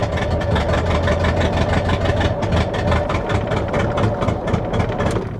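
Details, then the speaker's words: Auction truck with about 256,000 miles; loud, deep, uneven idle with raw open exhaust pulses, straight-exhaust smell underneath, catalytic converters suspected cut off (not confirmed): rough idle, loud exhaust. "okay all right you know what um that doesn't sound good that doesn't sound good at all oh wow smells straight exhaust under here guarantee you somebody somebody probably chopped the cats off of it"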